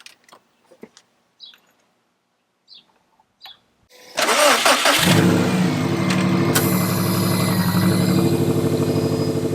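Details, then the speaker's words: Subaru STI after the external wastegate exhaust leak fix (new EWG up-pipe and gaskets), with the blow-off valve trumpet missing: the starter cranks briefly, then the engine catches and settles into a steady, even idle with a crisp exhaust note; a healthy start. "Let's go! Doesn't sound like a tractor. And we're making boost again."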